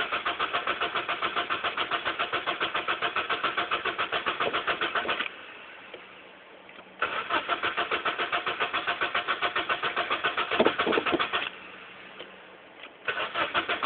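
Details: Honda Accord 1.8 VTEC cranking in bursts with pauses: regular starter chugging at about three and a half beats a second, turns over fine but never catches; crank, no start.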